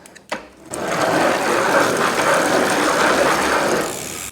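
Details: 2017 Bosch e-bike motor on a Scott, out of warranty, cranks turned by hand: a loud rough rattling rumble like a train, from badly worn bearings later replaced to make it quiet.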